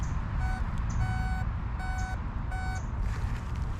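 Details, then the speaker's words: Garrett Sea Hunter Mark II pulse-induction detector, coil kept moving over a bottle cap target: four short steady beeps about 750 Hz, loudest when target is mid-coil, over low rumble; normal target response. "This is a pulse induction, so you have to keep the coil moving. So when it goes over, when it's the loudest, it's in the middle."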